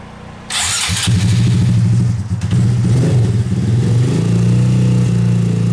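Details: Rebuilt Honda Grom engine, exhaust valve clearance retightened (0.007 in feeler) to cure ticking, rough tune: starts straight away, blips up and down, then smooth steady idle with the top-end tick gone; normal idle.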